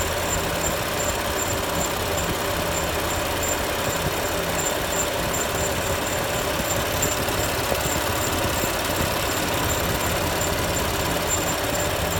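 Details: BMW M4 at idle: a faint, sharp high chirp repeats every fraction of a second over a steady idle; a squeak whose source isn't pinned down.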